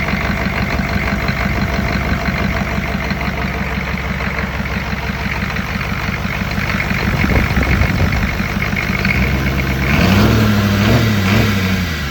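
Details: Diesel engine fitted with a used injection pump and newer glow plugs taken from a locked-up donor engine, first start: it lights right off and settles into an even low clatter at idle with no misses or knocks. Timing may still be tweaked.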